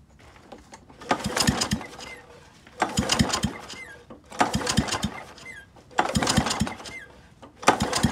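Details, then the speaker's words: Kawasaki FC150V OHV engine on John Deere 14SC mower, compression test reading about 60 percent: slow uneven cranking bursts with no firing; low compression, won't start, piston heavily carboned, valve clearances suspected. "so touching 60 percent so that's not going to be enough for this machine to fire over unfortunately"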